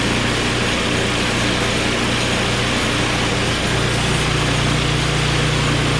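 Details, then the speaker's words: Small single-cylinder snowblower engine, cold, on choke at high throttle with carb spray: catches at once and settles into steady even fast idle; normal cold start, stalled later off choke. "Beautiful. It started up right away. Good news."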